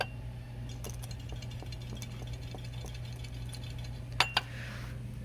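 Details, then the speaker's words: Old AC compressor removed from a 2012 Kia Sportage 2.0L turbo GDI, turned slowly by hand: light metallic clinks; compressor had stopped compressing, internal failure suspected (like rod knock), new one doesn't do it. "I think the crank burned up or something. That sounds like rod knock or something."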